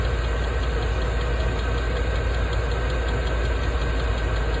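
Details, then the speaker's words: Diesel RV heater, first test run, ramping up output: steady combustion roar with fast light fuel pump ticking speeding up as fuel use rises; blowing about 140°F air, running normally. "i can hear the fuel pump clicking faster so it's using more fuel"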